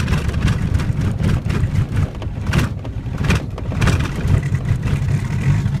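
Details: 1991 VW Jetta turbo diesel, cold, new glow plugs, battery and starter, cause unknown: uneven laboring cranking with surging bursts that never settle, smoke produced; hard cold start cranking, no start.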